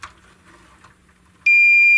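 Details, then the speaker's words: 25-inch U5000 arcade monitor with no-contrast fault, multimeter in diode mode on the horizontal output transistor: solid continuous beep on probe contact, dead short; transistor to be removed and replaced. "hot is shorted well um I don't recall the email saying anything about the HLT being shorted"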